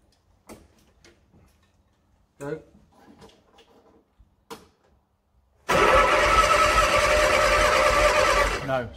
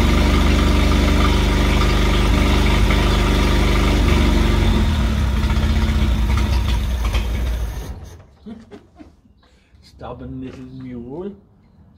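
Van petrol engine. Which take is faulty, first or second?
first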